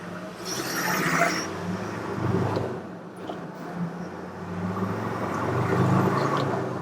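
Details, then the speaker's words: Project Land Rover Defender 110 diesel on 220-mile drive home after Forte diesel turbo cleaner additive, window open, pulling away through 30, 40, 50: deep even drone, earlier high tapping at top revs now much quieter. "I think that's a lot quieter, I really do."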